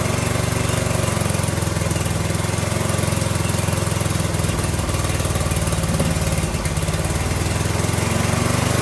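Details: Briggs & Stratton 18 HP Vanguard V-twin being revived, with its muffler refitted and started on choke. A steady, even low putter that holds its speed with no misses or knocks: normal running.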